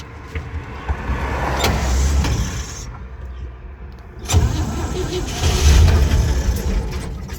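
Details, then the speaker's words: Old truck engine, unstarted for months or maybe a year, fresh battery, gas primed down the carburetor from a gallon can, Bendix earlier not engaging: it cranks, catches briefly with a rough burst, then dies. Likely not enough fuel. "Whoa. Let me prime it again. I'm still just running it off of a gallon gas can over there."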